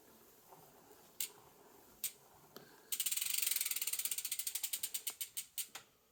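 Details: Priority 600 bike with 12-speed Pinion C1.12 gearbox in first gear: a few single clicks, then fast even ratcheting slowing and fading as the wheel coasts; clean, healthy freehub.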